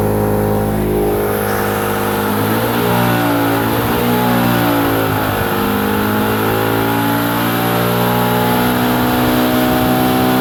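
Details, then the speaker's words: Mazda RX-8 with new coils, plugs and leads (D585 upgrade kit), coils and plugs swapped between cylinders, still logging P0301 cylinder one misfire: rough, wavering, stumbling note through the exhaust at 4000 rpm; dies when it drops to idle. "i'm still showing a cylinder one misfire now the noise to me is coming through the exhaust system"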